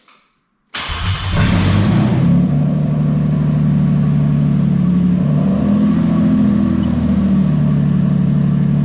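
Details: Toyota 1JZ-GTE VVT-i swapped into an Altezza RS200 with a plug-and-play harness: catches after a short crank and settles into a steady, even idle with a smooth low hum, no knocks or misses, no codes; normal running.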